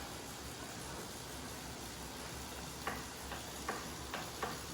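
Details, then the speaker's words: Wahoo Kickr Snap trainer: faint sharp clicks roughly once per pedal stroke over steady hiss, heard when seated centred, gone when leaning aside or sitting up, persists when shifting; cause unclear. "position, clicking noise. Now lean to the side, no clicking noise. Back to center, clicking. Shifting, still clicking."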